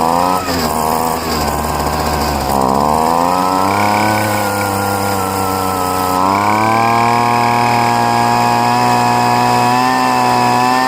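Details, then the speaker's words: Poulan two-stroke leaf blower, first start after five months of dry storage: screaming buzz whose pitch jumps in steps as the outer high-speed mixture screw is turned richer to cure lean running, an adjustment needed every year. "And what I had to do is I richened up the, which I have to do every year for some reason. I had to richen up the high-speed mixture screw."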